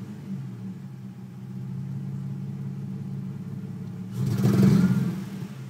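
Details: Nissan 350Z at warm idle: runs fine until operating temperature, then misfires with an uneven soft stumble and rougher surges; check engine light on from an earlier start without the intake fitted. Cause unconfirmed.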